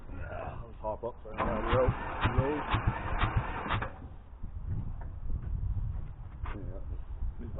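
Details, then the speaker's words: Hamm DV3K roller bought non-running at auction, diesel engine cranking while being unloaded: the starter churns at a slow, uneven beat for several seconds but it never fires; it is pumping oil, and fuel is suspected. "she not firing"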